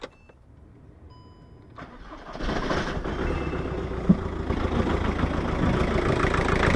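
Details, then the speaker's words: VW Touran BKD diesel that had been hard-starting and stalling when hot, after a new tandem pump and lift pump and now an upgraded Racor S3213 fuel filter: it catches after a short crank and settles into a steady, even idle; a clean start. "That's a good sign, eh?"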